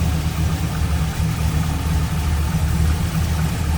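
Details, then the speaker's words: 2002 Chevrolet Camaro SS, 5.7 L LS1 V8, 26,382 miles, cam, cold air intake, headers, no cats, true dual exhaust, no check engine light: deep, steady V8 burble with a slightly lumpy cam beat, no knocks or misses; healthy. "Let's listen. Cold air intake, cam, headers, no cats. Here it is, 5.7 liter LS1."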